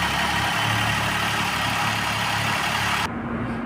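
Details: Maruti WagonR petrol/CNG on petrol at idle once a bypass wire feeds the circuit: even beat with no stumble or missing pulse, misfire gone; original wiring found cut.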